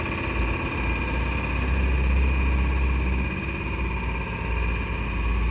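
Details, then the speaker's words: Injectors from a 2013 Nissan Navara D40 YD25 2.5 turbo diesel with 240,000 km, removed and run on a bench tester: rapid steady buzzing chatter about three or four pulses a second over a constant hum. Normal injector operation; all tested fine. "We're running those injectors now. We're just testing these injectors down here."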